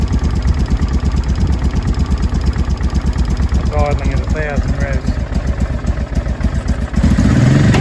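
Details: 2005 Honda Deauville NT650V V-twin after carburetor check (vacuum pistons repositioned, pilot screw set), warmed about three minutes, choke off, idle set low: steady even low thump with no popping, banging or exhaust noise; running cleanly.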